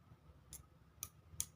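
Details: Motorcycle turn-signal flasher relay opened, worn contact held closed by hand: sharp dry clicks about every half second, confirming the bad contact caused the no-blink fault.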